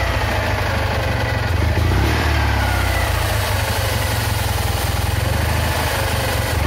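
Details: Citroën Ami 8 flat-twin, hot: lumpy, stumbling idle with uneven firing pulses instead of a smooth run; ignition misfire, heavy points sparking and weak plug spark; owner is certain the condenser is at fault.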